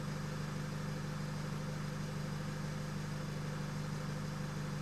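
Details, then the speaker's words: 2008 Nissan X-Trail 2.0 diesel, remapped with EGR and DPF deleted, that misfired at 3000 rpm after a clutch job and had a non-working turbo. After the engine was stopped and rested, vacuum is full again: even, steady idle with a low thrum, no stumbles. Normal idle. "there you go full vacuum again and just sounds good"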